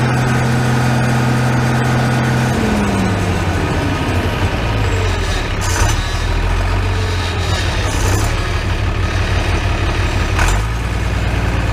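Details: Farmall 806 diesel tractor with new MCV hydraulic pump, after hydraulic filter change, air possibly still in system: steady idle with faint hydraulic hum on top; only slight pump noise remains.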